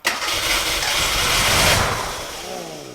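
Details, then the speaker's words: Gilbern Invader Mk3 barn find after pump glass bowl removed and priming: starter spins engine briskly with no firing, then winds down; fuel pipe wasn't in the fuel. Cranks but won't start, no fuel supply. "oh yes silly bloody idiot the pipe wasn't even in the right try frog right let's try putting it on fuel this time"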